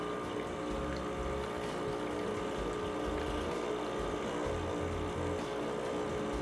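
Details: 2020 Rancilio Silvia espresso machine, new, running water through to flush and heat the system; even low vibrating pump drone with water flowing, steady throughout, normal pump operation.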